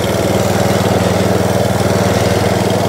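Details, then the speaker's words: Atco Balmoral mower sold as spares and repair, restarted with no choke: steady, even single-cylinder beat of about four pulses a second, no misses or knocks; runs, though the belt grabs and needs replacing. "it might just Chuck that belt straight off again I want to do a truck Maybe that's what it was took it off now the drive again there you go guys working yeah baby"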